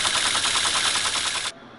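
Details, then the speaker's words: Teletype ASR 33 paper tape reader after work on a faulty contact: a rapid, even clatter for about a second and a half, then a dead stop. The reader won't latch and the start button must be held throughout. "there is something odd I have to hold the start button through the whole tape read for the demo I had to request the assistance of Carl's finger to push on it the whole time"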